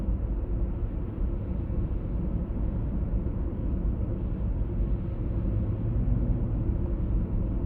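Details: 1996 BMW E39 523i automatic (pre-facelift): deep steady droning hum under road noise, no knocks, at 50–60 km/h and also 70–80 km/h; cause still unknown.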